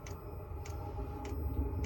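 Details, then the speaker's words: Chinese diesel heater in a bus, dosing pump mounted on the bus frame, about 2.5 minutes after startup and fired up: crisp, even ticks about every 0.6 s over a low hum, fuel pump dosing steadily; normal, clicking not audible inside the bus. "All right, I can't even hear the clicking up in the bus, and I don't hear any of this exhaust noise."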